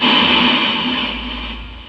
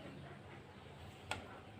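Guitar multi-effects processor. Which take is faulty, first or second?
first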